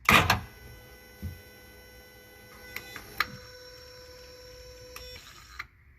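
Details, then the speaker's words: 2008 Yamaha VX1100 jet ski throttle body self-check on power-up: sharp relay clicks and thin steady electric hum, no longer the twitching gear-grinding noise; now works properly. "So it's doing its check. So it's doing its check. You no longer hear that grinding of the gears where it twitches and it makes that noise. It actually works properly now."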